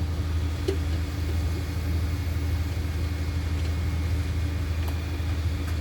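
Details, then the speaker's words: Dixie Chopper 60-inch zero-turn mower with electric PTO, blades engaged: low labouring rumble with uneven pulses about twice a second, blades can't reach speed; owner suspects throttle stuck low from a broken cable, also reported firing on one cylinder. "i just turned on the blades and there wasn't enough in the motor even crankers so i have a feeling that the throttle is just all the way in the low position"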